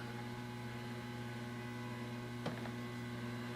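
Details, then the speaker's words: Guitar pedalboard and amp with nothing played, $30 noise gate pedal switched off: constant low mains hum with faint hiss underneath; ungated amp hiss that the pedal removes when on. "I'll turn it off. Do you hear that? Kind of this amp hiss."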